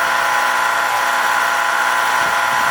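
A steady, loud mechanical drone with a high buzzing tone that never lets up; the unit is running abnormally loud, cause unclear.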